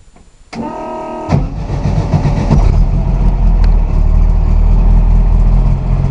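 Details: VW drag engine 2276cc, FK-89 cam, 12.5:1 CR, 91 pump gas, Megasquirt 3 coil-on-plug, cold start at about 44°F without touching throttle: short starter grind, catches at once, loud steady high idle; normal cold start.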